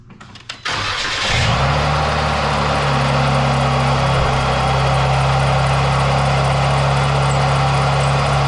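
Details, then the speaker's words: Jeep Wrangler, engine starting and settling to idle with AC switched on: steady whirring drone with faint squeak; owner thinks the AC compressor pulley bearing is failing, causing the squeak, to be checked by pulling the belt. "yeah yeah look at that I think it's that conditioner fully buried I think that's a problem which in turn is causing a little bit of squeaking"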